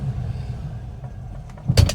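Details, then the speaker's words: 1974 Rover 3500S V8 at idle: low rumble, then a sharp double clunk as the lever jumps out of reverse; a known recurring fault, this a gentle instance, sometimes more aggressive, cause unclear. "So if I go into reverse. So that's in this car that gate up and then just pops out like that."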